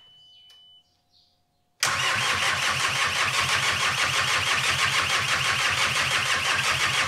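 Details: VW T5 Transporter with a freshly swapped 1.9 TDI PD130 ASZ engine with rebuilt cylinder head, first start: it catches at once into a loud, raspy, hissy diesel idle, far too noisy. The EGR pipe and downpipe are not fitted and boost pipes are off; no leaks.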